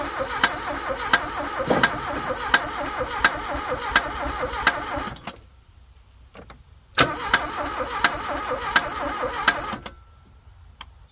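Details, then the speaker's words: Abandoned Porsche 924 after a loose ground cable on the head was fixed, carb cleaner tried: two bursts of steady, even starter cranking, turning freely but never catching; owner thinks it's flooded, fuel pump suspect. "a well I think it's flooded apparently uh carb cleaner is not as flammable as it used to be"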